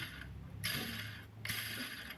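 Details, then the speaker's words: 2009 Audi A4 B8 2.0 diesel, timing belt replacement: a removed idler roller spun by hand gives rough, gritty rasping from a worn bearing, while the other roller runs quietly. "слухаєм ролики як роблять цей тихо робить так цей шумить уже"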